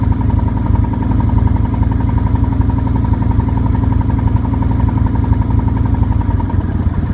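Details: 2008 Nomad at steady idle with an uneven knock riding over it, roughly three a second; engine knock, source not pinned down.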